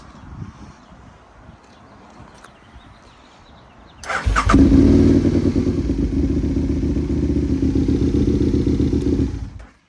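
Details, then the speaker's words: 2010 Aprilia Tuono 1000cc R motorcycle bought at auction, started after a loose battery connection was fixed and the battery fully charged: the engine fires at about four seconds and settles into a steady, even idle, not idling high or hunting. "So I want to start it and make sure that it's not idling high."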